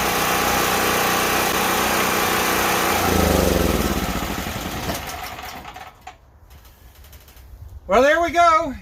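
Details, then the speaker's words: Worn auction generator with a Predator engine, old turpentine-smelling gas, started on choke as it came off the truck: single-cylinder engine catches and settles into a steady, even chug; runs fine, handles small power tools but not a welder. "it runs it'll run some smaller power tools but it definitely doesn't have the crank to be able to go and run the welder on these"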